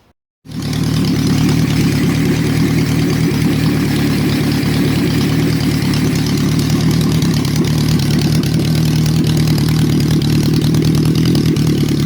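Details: Honda CB350, engine warm: fires instantly then settles into an even, steady idle with no misses or stumbles; normal start and idle.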